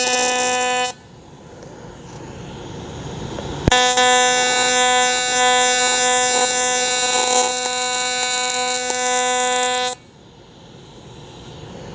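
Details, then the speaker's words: Dynasty AC TIG welder on aluminum at 160 amps, 75% balance and 250 Hz AC frequency (maxed), which makes it loud. The arc strikes into a loud, steady, harsh buzz for about six seconds, then cuts off. A normal AC TIG arc. "I use it the balance at 75 percent in the frequency all the way up at 250 I think that's maxed out and that's why the welder sounds so loud"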